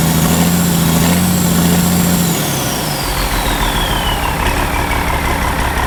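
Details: Ford 5000 tractor with a swapped-in Ford Brazilian 7.8 six-cylinder turbo diesel, early run after first fire-up, long-sat engine burning off water vapor: steady low diesel clatter settling to an even idle with a soft falling turbo whistle; runs smoothly.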